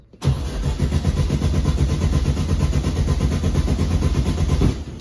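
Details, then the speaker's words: 1971 Volkswagen Beetle parked 23 years: starter spins the engine briskly for about four and a half seconds with no firing at all. No spark found; coil wire being checked as the suspected cause. "I ain't getting no spark it's not even trying to hit I don't think so"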